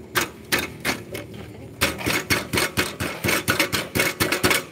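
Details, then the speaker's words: Yamaha Jupiter (Burhan) after engine work with a larger piston: sharp uneven metallic clanks from a broken-loose part rattling inside the muffler, causing a "kletek" noise when riding; the engine itself now runs fairly smoothly. "Oh ya, buat mas pemiliknya, ini knalpotnya di dalam sini itu ada yang rontok, jadi knalpotnya bunyi nih."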